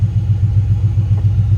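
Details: 1995 Chevy Z71 OBS pickup, 350 TBI, 205,904 miles, back of the muffler blown off: a deep, loud, throbbing, unmuffled exhaust rumble pulsing evenly at idle; blown muffler.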